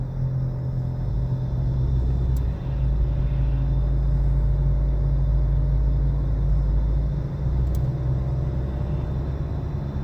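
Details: 2013 Nissan Altima, heard in the cabin while driving: loud steady low hum over road noise that changes pitch with speed; at first said not to be a wheel bearing, later confirmed a worn wheel bearing.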